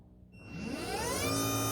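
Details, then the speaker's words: Mercedes E-Class power steering pump fitted to a car with a steering box. Its motor whine climbs, then holds a steady, noisy hum as it starts immediately on 12 V with the engine off, though it should run only with the engine running. "that pump started up straight away see what they put on that battery only has 12 volts and I tested it the pump's not supposed to actually run until that engine is actually running"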